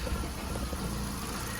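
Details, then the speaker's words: Misfire on a VW Golf at a low, lumpy idle with an uneven exhaust beat and the engine visibly shaking. It is suspected to come from a failed ignition coil pack. "you can see the engine is a bit shaky that's the misfire there you go you can see it shaking now"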